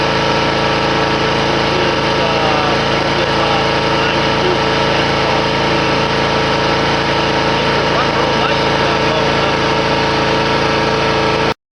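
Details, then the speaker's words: Hustler Raptor mower, Kawasaki FR691V V-twin, at full throttle after the throttle range was boosted to fix low RPM: tachometer reads about 3320-3330; steady, even high-speed drone with no misses or surging for eleven seconds; speed now in an acceptable range. "By getting a $13 shipped to the house tachometer, we found out we were running too low a speed on our Kawasaki FR691V, and we've upped the speed to an acceptable range, probably generating 22 horsepower instead of 23, and I'm not going into any foot high grass, so I think that that'll be satisfactory."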